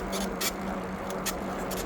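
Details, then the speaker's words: eBike on trail ride: short high squeaks in bursts about every half second, in time with pedal strokes over a steady hum; stops when pedaling stops, new since yesterday, less when bouncing so shocks doubted; source unknown. "It wasn't doing it yesterday, so I don't know what it is. See, if I stop pedaling, it stops squeaking."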